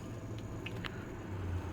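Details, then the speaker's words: Six-year-old Oster convection toaster oven, turbo convection fan at low temperature, after oiling the motor with synthetic firearms lubricant: only a low, soft, even hum with a few faint clicks and no rubbing or squeal; the fan now runs quietly. "so I'm going to film over here and hit the start button everybody ready here we go oh yes nice and quiet wow I can't even hear it that is awesome"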